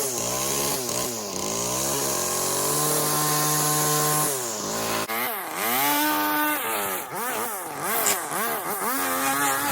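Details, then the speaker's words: Stihl FS 40-C string trimmer with opened-up muffler at full throttle: crisp, raspy two-stroke holding steady and revving freely without bogging; sounds healthy. "doesn't bog down at all as soon as you open up a muffler on on a weed eater which people don't even really think about doing"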